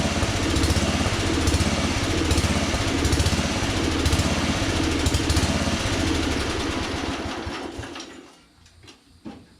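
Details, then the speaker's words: 1982 LongLife 36" lawn tractor, 40-year-old barn find long unused, small single-cylinder runs with uneven loping beat then fades and dies on jumper pack; fuel leaking and backing into a possible crankcase breather, owner suspects flooding. "But obviously fuel is filling up in here and backing up into there, which makes me really think that the engine is flooding itself right now, which isn't really good because I don't want to change the oil yet."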